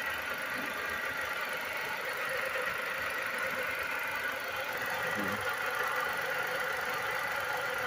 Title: WHAT'S THIS SOUND my cars making??